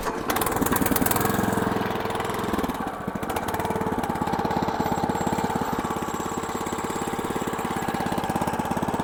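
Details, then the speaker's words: Cold-start idle of a WM500 new-generation diesel tractor on a freezing day, exhaust still icy: fast, even clatter of about three knocks a second, typical healthy cold diesel running that smooths as it warms. "słyszycie też po pracy sila że na inaczej słychać słychać w dieslu takie charakterystyczne klekotanie aczkolwiek jak czym on bardziej łapie temperaturę tym bardziej zbliża się do pracy już takiej właściwej"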